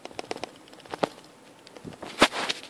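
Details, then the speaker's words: PlayStation Vita shaken by hand: sharp, irregular clicks and taps from the loose internal battery, unsecured by screws near the top, knocking inside the case. "but basically when you shake it you can you can hear it rattling if I hold these little pieces down"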